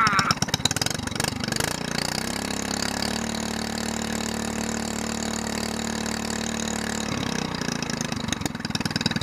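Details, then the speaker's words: SPS longtail mud motor, stored all winter, primed, first start of 2015, choke coming off: rough catch then steady even idle hum with no misses, brief tone change; normal idle after storage. "It's easy to burn off. It's easy to get the choke off. Almost sounds like a four-wheeler."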